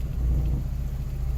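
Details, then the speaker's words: Rebuilt Geo Metro engine after first start: steady, even hum at a fast idle with no dip or hunting; idle too high, owner suspects cold start, and it later idles back down. "Man, cranks right up and sounds good. Still does have a high idle."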